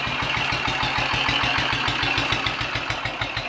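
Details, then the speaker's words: Royal Enfield 500 single idling after top-end rebuild with shortened barrel, exhaust cam advanced one tooth, ignition timing, throttle stop and mixture screws adjusted: even thump about three beats a second, no misses or knocks; good timing and carburettor settings, normal idle. "we've got a good ignition timing good carburetor settings and certainly good base settings to start off with"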